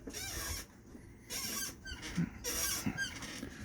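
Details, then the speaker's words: Honda ATV on big tires, front end: short, sharp squeaks and creaks come in bursts as it moves; owner suspects it needs ball joints or at least tie rod ends, not confirmed. "it's starting to sound like it needs ball joints or at least tie rod ends you can hear I'm creaking a little bit"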